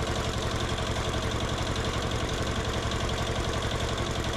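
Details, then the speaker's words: Yanmar-clone 186F single-cylinder diesel from a generator on a Gravely walk-behind tractor, baseline before tuning: held flat with hard rapid chatter at about 3120 rpm, short of 3500 rpm goal, sounds like hitting rev limiter, very smoky. "And we're not quite hitting that. It sounds like we're hitting rev limiter and it gets really mad and really smoky at like 3120."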